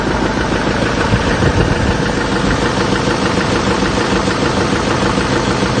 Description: 2007 6.6L lmm Duramax Diesel engine knocking parked at idle Chevy 3500 Silverado truck with GMC Sierra front clip. Crankshaft bearing won out.